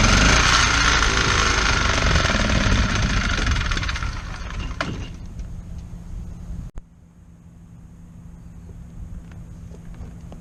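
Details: Kohler 725cc V-twin surface-drive mud motor that threw the cylinder 1 connecting rod in 2012, run on one cylinder with a makeshift key: harsh rapid hammering chatter about four beats a second, fading after a few seconds.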